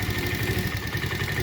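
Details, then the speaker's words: 1971 Honda CT70 idling after kick start: small single idles a bit unevenly, light quick ticking on top, seems to skip a little; valve tick, valves not checked, clearance suspected. "you can hear them valves ticking a little bit i didn't check those because i wasn't part of the deal"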